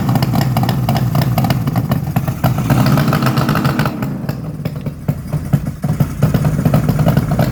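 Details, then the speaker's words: 1972 Suzuki GT750J Le Mans water-cooled two-stroke triple, about 35k miles, cold start on choke: loud, uneven popping and rattly chuff with a raw blowing note; exhaust leak where the crossover pipe has come out, to be tightened. "if you can see the crossover looks like it's actually come out right there which is probably most of the noise yep see that right there okay well we'll tighten that up"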